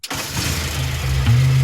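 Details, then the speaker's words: Car engine started after new points, distributor cap and rotor fitted, following vapor-lock trouble: fires within a split second and settles to a steady low idle, even firing, no knocks; normal start and idle. "Sounds good. Fantastic. We started that engine up after the new parts were installed. Points, cap, rotor, runs like a champ."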